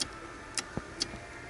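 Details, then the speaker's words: Car with faulty aftermarket alarm/radio install, key off, constant power on pink/yellow ignition-output wire: faint sharp ticks about twice a second from modules kept live; ticking from backfed ignition circuit, ignition switch not at fault. "Obviously, I have a power feed that somebody supplied, okay, to the output of the ignition switch circuit, which is powering up all kinds of things when it's not supposed to."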